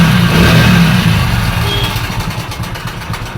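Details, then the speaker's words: Hero Splendor Pro motorcycle, single cylinder, run with no engine oil, also blowing white smoke; loud, harsh thrash with rough clatter on falling revs; timing chain and rollers damaged by oil starvation. "इसमें engine ल जरा भी नहीं है और engine यल बिना engine ल का चलाने के कारण गाड़ी का सारा जो टाइमिंग चन वगर रोलर वगर सारा कुछ कर चुका हैय"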